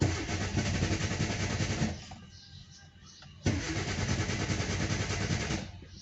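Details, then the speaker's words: Car with a good charged battery and a working starter: the engine cranks at a steady pace, pauses, cranks again and never catches. A damaged fuel pump is starving it of fuel. "The first reason is the fuel pump is damaged We'll start the engine and see the malfunctions"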